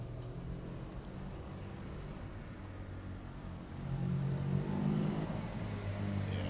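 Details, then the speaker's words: Suzuki GS500 parallel twin after carb clean, carb balance and fuel lines simplified from 5 to 1: a distant lumpy twin beat swells as the bike pulls past, firing evenly without misses; running well. "I reckon that's about the best that bikes ever gonna run they should go on they went into second straight away I think that's running well"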